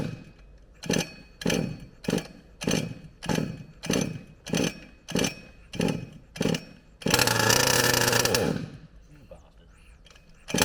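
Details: HPI Savage Octane petrol RC car on a cool 9°C morning: about ten pull-start rasps, then a brief high buzzing catch that dies after a second. It won't stay running; the owner plans a new plug next, then the coil.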